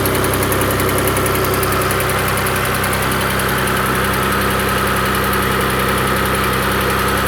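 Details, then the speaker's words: Engine at idle, before adding Lucas heavy-duty oil stabilizer: a dull, irregular knock of about two to three per second; cause not yet determined. "all right so this engine's got a little bit of a motor noise uh I'm not going to say as much of a tick as maybe a little bit of a knock"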